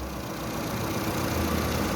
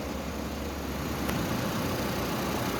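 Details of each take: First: Fiat Toro 1.8 E.torQ with idle fault and injection light on: uneven lumpy idle with light rattling chatter over the rumble; timing chain noise found with incorrectly mounted pulley. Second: Fiat Toro 1.8 E.torQ, which came in with rough idle, lit check-engine light and engine noise, now idling evenly with a smooth low drone, no knocks, ticks or misses after repair; normal idle.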